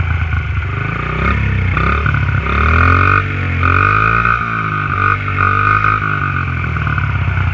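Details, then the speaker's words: Honda XR50 pit bike on stock exhaust pipe: small single-cylinder revving up and down, pulses even and crisp, no knock or miss; normal running. "This is the sound of the stock pipe here."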